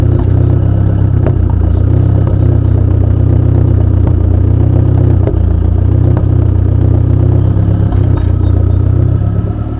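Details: SRT4 engine at idle with an odd misfire: the steady idle dips and stumbles about every second, a rhythmic lope from a missing cylinder, cause not yet found.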